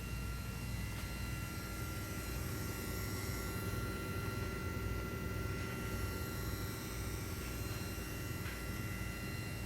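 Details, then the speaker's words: HX Stomp/POD Go/keyboard over USB into mixer, speakers at full volume, before hum eliminator fitted: constant low hum with steady thin whining tones; ground loop whine. "that's not the kind of sound we want to hear now think about at a gig when you've got 2 000 Watts that you have cranked up it's going to be 20 times as loud as that right"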